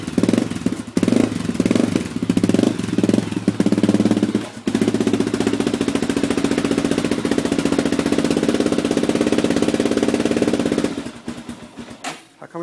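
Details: Honda 400EX single-cylinder engine just after a rebuild, still being broken in: quick, even idle thumps at a steady beat with no knocks or misses.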